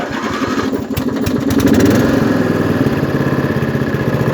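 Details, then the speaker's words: Craftsman LT1000 lawn tractor, 18hp Briggs & Stratton, new fuel filter, started on choke: catches after a few turns, then a steady, even putter at lower throttle; healthy engine. "put my foot on the brake runs like a champ throttle it down okay"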